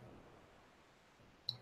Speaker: yeah you normally get events you hear that little ticking that's normal that you're going to get events most nuclear events come from the cosmos right